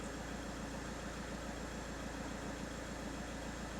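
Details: 2018 VW Touran diesel with intermittent morning dash warnings and ECU no-communication faults, after clearing faults: steady diesel idle with even low knock rhythm, no misses or rattles; engine running normally, no fault codes.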